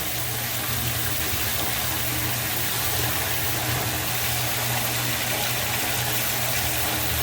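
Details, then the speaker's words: Grinder/sump pump in a flooded pit, pulled out because it was thought air-locked and now cycling on and off. A steady low hum with water rushing and gurgling evenly: the pump runs normally and moves water. "pulled out the grinder pump we had this guy move but the uh I think it was air locked cuz it's uh it's cycling on and off now that's working good"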